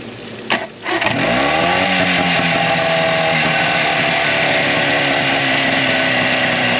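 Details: 2004 Tohatsu 9.8 two-stroke long-shaft electric-start outboard, test run after general maintenance: steady, even buzzing idle; at first seemed not to fire on both cylinders, but plug-lead pull test confirmed both firing.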